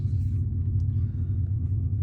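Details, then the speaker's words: 2003 Chevy Silverado 6.0L LS V8 after the TPS/throttle body replacement, coolant hose bypass and a test drive; deep steady low rumble at idle, no hunting, surging or stumbling, normal idle. "But yeah, this is how it is at idle. I'm gonna let it idle for a little while before I shut it off for a little bit."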